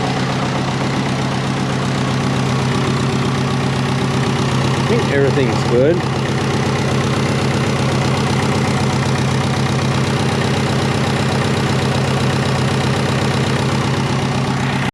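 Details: Twin-turbo Subaru Forester restarted after repeated start attempts, a bit smoky from excess fuel, boost and oil pressure gauges plugged in: steady, even idle with smooth low hum, no knocks or misses; normal idle.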